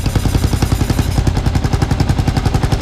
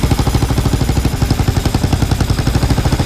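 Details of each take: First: Kawasaki KLR 650 single idling steady and even at about ten beats a second, no hunting or surging; normal idle during propane vacuum-leak check. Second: Kawasaki KLR 650 single at idle, with a cracked stock plastic choke nut and a suspected cap popped off: the steady thump speeds up when propane is fed near the leak, confirming an intake vacuum leak.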